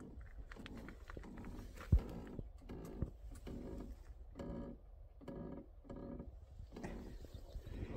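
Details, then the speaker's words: Parked motorcycle on a slope: slow, rhythmic groaning creaks about every 0.6 seconds from the brake shoes creaking. "il grince des dents, il grassent des mâchoires de frein. Je suis un peu en pente donc bon."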